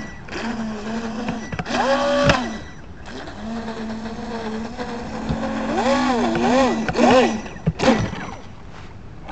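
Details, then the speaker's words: FT012 RC boat, motor suspected faulty after set screws, prop and shaft checked with no binding: electric whine surges into rising screams and cuts out in bursts at full throttle; revs high but won't accelerate. "you can tell it really doesn't sound right either"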